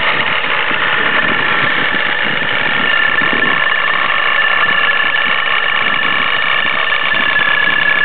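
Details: Nissan 350Z with Vortech supercharger at idle: busy, loose rattle over the run with a steady high whine above it, sounding like the car is falling apart. Supercharger rattle at idle.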